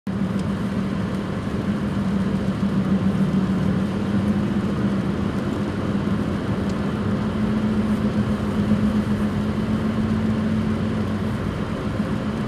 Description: Roaring sound when driving in higher speed? Could be a bad Wheel bearing, in this case front right and rear right bearings.